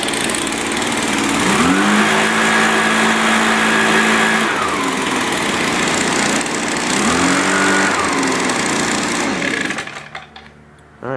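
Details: Echo two-stroke with i30 easy starter, cold start; catches after the pull, revs up and settles into steady, even high-pitched buzz with no misses, running normally.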